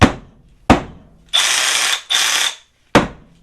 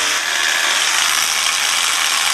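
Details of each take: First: Milwaukee M12 Fuel SDS hammer drill, reference for correct sound versus its fault of shifting out of hammer: crisp even hammering in short bursts, each trigger pull starting clean and steady; normal hammer action. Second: Milwaukee M12 Fuel SDS hammer drill bought from Amazon, keeps shifting out of hammer: fast harsh buzzing ratchet as mechanism skips instead of hammering; cause found on teardown as too much/wrong grease and tight factory tolerances.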